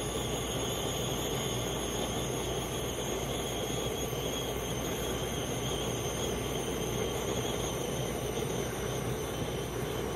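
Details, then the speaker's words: 2017 Heatmaster SS G100S outdoor wood gasifier boiler on cold start. The front air damper is opening, one on each side, and the draft fan pulls a steady, even rush of air with no pulsing or rattle; normal intake. "Hear the air starting to suck through there. There's a damper on each side here. Just starting to open up in there."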